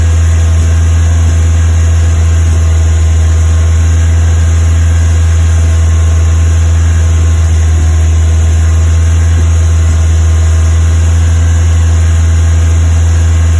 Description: Westfield FW Zetec Fast Idle Misfire